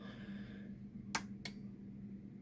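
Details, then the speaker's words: Pioneer SX-950 receiver after AWM062 protection board refurb: on switch-on, two crisp clicks about a third of a second apart over a faint steady hum; protection relay pulls in almost instantly, well under 5 seconds, as it should. "can hear how quick the relay kicks in."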